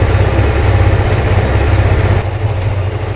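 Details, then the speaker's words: Kawasaki GPZ600R (ZX600A) Ninja, unused four to five months, cold start on choke at around 1500 rpm, stalls without choke; steady, slightly lumpy fast-idle burble that holds without dying, normal cold idle on choke. "There we go. I've got it on choke at around 1500 revs, because if I take the choke out it will stop."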